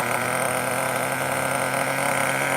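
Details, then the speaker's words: Traxxas T-Maxx Classic 2.5 nitro RC truck restarted warm, radio gear now fine: steady, even, high-pitched idle with no stumbles or misses; surprised it fired again; normal warm idle. "Um, you guys say another fire in the hole. I can't believe it turned on. Can't believe it."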